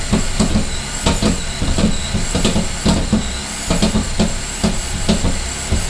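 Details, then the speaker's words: 2008 Cadillac CTS, GM 3.6L GDI, first run after timing chain replacement: uneven sharp popcorn-like pops, two or three a second, over a low engine rumble. A disconnected vacuum line was found earlier; the cause of the popping is still unclear while connections are checked. "why does it sound like popcorn the is that all about this is hooked up this hooked up"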